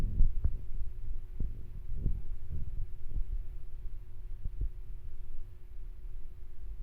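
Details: Washing machine on spin, irregular heavy thuds over a faint steady hum as the unlevelled, unbalanced machine knocks against the floor; fix is adjusting the feet.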